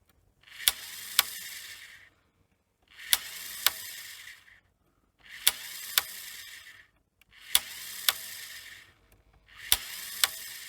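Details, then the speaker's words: 1985 Philips VR6462 VHS deck, old idler spring refitted: whirring bursts every 2.5 seconds with two sharp clicks and spring twang; idler keeps trying but won't engage, spring confirmed seated, cause unknown. "But, uh, yeah, you can see it's trying to work. You see the spring there making the twanging noise as well."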